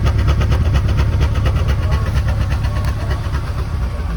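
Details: 1961 Chrysler Newport big-block V8, first start after sitting for years: deep, lumpy idle with steady low pulses, settling slightly as it runs; the engine is running fine.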